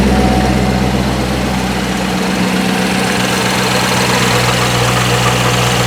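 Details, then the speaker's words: 2019 Corvette C7 Grand Sport, first fire after Magnuson TVS2650 supercharger install, cold out: deep steady V8 idle with slight lope and faint blower whine, no leaks or fuel smell, exhaust smoke nothing to worry about: normal idle. "i don't see any leaks i don't smell any fuel sounds good idling nicely so the smoke there that you see on the exhaust is nothing to worry about"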